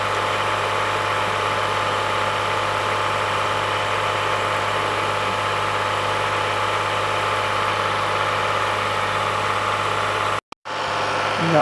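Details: 2015 Toyota Sienna AWD 3.5 L held at 2000 rpm during accessory drive diagnosis: steady whirring drone with a faint rough edge. Labeled a water pump bearing, but the mechanic judged the water pump and AC okay and found the tensioner and alternator noisy.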